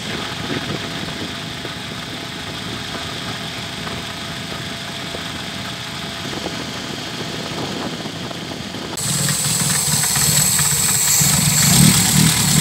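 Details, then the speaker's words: VW G1 with carburetted AP engine: uneven, lumpy idle that wavers; fuel pump pressure practically zero, engine starving for fuel and had stalled repeatedly on the drive to the shop. "Y esta es la presión de combustible que tiene su bomba prácticamente nada cero por eso lo que en el camino que él tomó desde su casa hasta acá se le paraba a cada rato"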